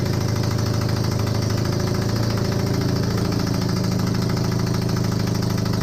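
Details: Honda CB250N Superdream twin project bike, built from boxes of bits, with new spark plugs, on partial choke, powered from another bike's battery. It finally runs with an even low throb and steady rapid pulse, no knocking. Normal idle, though there is a large front oil leak.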